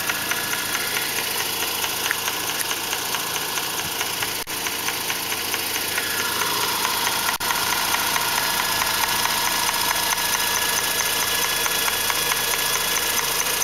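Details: 2004 Mazda RX-8, drives fine: light steady ticking chatter about two a second over smooth rotary idle, from the intake area; fixed by rebuilding the SSV valve.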